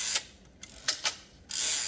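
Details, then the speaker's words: Typewriter escapement: carriage pushes fixed dog aside as star wheel rotates backward on return; quick bright ratcheting clicks in short bursts, clean healthy carriage return. "as the star rotates backwards and you get that classic Ty Rider return"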